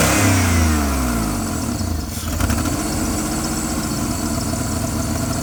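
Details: Jeep Liberty running: loud, uneven chugging that stumbles after a rev and settles into a ragged, shaky idle, with smoke and hard shaking; dies if left idling; owner considered a misfire, cause unknown.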